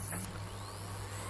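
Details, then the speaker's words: Hard drive on SATA power connector in Orico 1106SS hotswap rack, microphone behind the drive: faint whine climbing in pitch over low mains hum as platters reach speed at power-on; normal hard drive spin-up. "hopefully your belt have heard from the recorder I've got behind this drive the motor spinning up on this drive as the powers applied"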